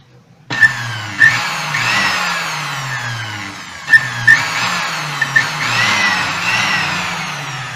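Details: Moulinex blender after repairing broken, miswired cables and a short circuit by swapping terminals: short bursts of the motor spinning up and coasting down smoothly with no stalling, buzzing or hesitation; runs normally.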